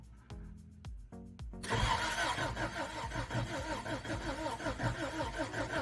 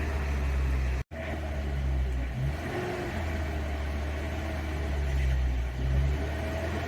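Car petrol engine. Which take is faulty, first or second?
first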